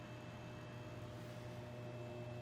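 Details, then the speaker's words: Dumont RA-109 tube TV on first power-up after long storage, at full AC power: steady hum with a thin constant buzz from the vertical output transformer; the horizontal stage is silent. "oh it's the vertical you hear that vertical output Transformer right there yeah vertical"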